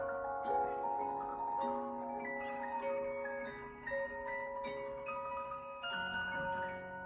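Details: Bremond Mandolin Harpe cylinder music box, previously improperly adjusted, now adjusted and oiled: a clear, bright plucked tune ringing evenly with sustained notes and no drag, buzz or skipping; mechanism plays smoothly.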